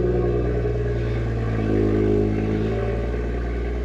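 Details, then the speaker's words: BMW 114i with 49,000 on the clock and its original battery, first start: it fires straight up and settles into a smooth, steady petrol note with no ticking, knocking or misfire. Normal idle; coolant level noted low. "yes that started straight up sounds that sounds amazing man"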